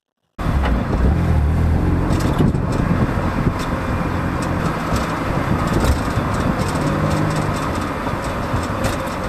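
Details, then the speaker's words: BMW Z3 roadster, recorded at the rear suspension while driving: loose metallic rattles over heavy road rumble as the rear wheels drop into bumps and cracks; the rattle was partly fixed with new rear brake pads. "so that's the rattle and I'm not really sure how to go about fixing it from here but I've got a few ideas"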